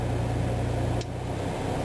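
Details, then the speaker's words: Onan RV generator after repeated carburetor cleaning (carb cleaner, Sea Foam), oil change and fuel lines checked, running under load: steady drone whose pitch and level sag briefly then even out; falters less than before, cause not pinned down. "it goes up a little bit but it's it's evening out it's not as bad as it was before or almost died when this thing was running"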